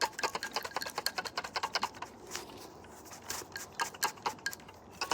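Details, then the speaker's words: Old alternator removed from an Infiniti Q45 that died, electronics failing off a jump: quick bursts of light plastic ticking each time the unit is shaken; a loose piece of plastic rattling inside the alternator. "there's something inside that is rattling around uh last time I checked alternator not oh wait hold on I think I found it"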